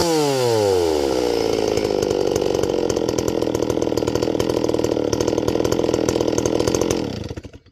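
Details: Stihl 024 AV WoodBoss chainsaw with 20-inch bar and .325 chisel chain, warmed up, idle screw turned in slightly: revs quickly to full throttle and holds with a rough, raspy edge; top end needs leaning out on the high jet.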